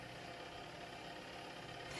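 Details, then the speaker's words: SUPER DEAL twin-tub portable washing machine in wash cycle on soft setting with gentle clothes and soap: quiet even motor hum with light swishing rasp, no knocks; wash action running strongly. "it's working very well as you can see it's washing the cycle is pretty strong"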